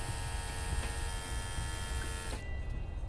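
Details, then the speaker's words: Junkyard Volvo electric brake vacuum pump in a G-body Cutlass, wired with 12 volts through a Volvo vacuum switch: a steady motor hum with a faint whine that cuts off cleanly at about 2.4 seconds. It reaches vacuum and shuts off normally. "Just gonna hear the vacuum pump working."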